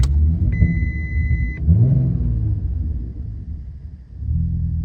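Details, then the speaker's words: Roughly 2001 VW Mk4 Golf 2.8 VR6 4Motion petrol, bought cheap; short high chime, then rough uneven low rumble; starts quietly but keeps stalling, cause unknown, then catches and revs. Engine stalling, then catching and revving. "starts up quiet it's just stalled keeps stalling not sure why maybe"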